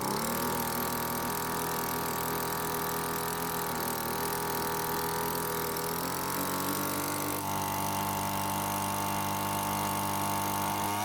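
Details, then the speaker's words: Cheap small two-stroke leaf blower that wouldn't start, at full speed while setting the H screw: high steady wail at top speed, then settling slightly lower as the screw is backed counterclockwise from peak; clean, even wide-open running. "now basically I carefully turned the screw until I found when the engine speed was the fastest but you cannot leave it that way instead you'll want to turn the screw counterclockwise a bit until the speed slows"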